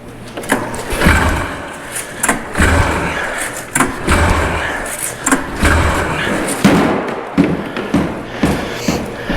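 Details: Arctic Cat Pantera snowmobile two-stroke, budget revival, attempting to fire up: irregular thumps and rattling pulls at under one per second with no steady running; hard starting, engine not firing.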